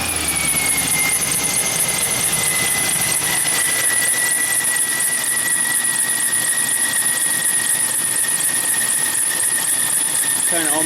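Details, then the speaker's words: GMC truck cold start before alternator replacement: steady high squeal over the engine, sagging slightly in pitch, from accessory drive; owner suspects the alternator, source unconfirmed; squeal at cold start. "so we're going to do a little bit of a cold start here and we'll see if she does some squawking for us oh yeah hear it"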